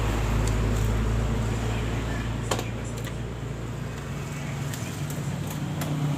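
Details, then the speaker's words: Honda Beat Pop scooter, idling after CVT case seal replacement for an oil leak: low idle that sags and swells instead of holding steady; unstable idle, possibly weak injection pressure or another fault. "jadi seperti itu cuma langsam dari motor ini tidak stabil mungkin dari tekanan injeksinya yang lemah atau masih ada kendala lain"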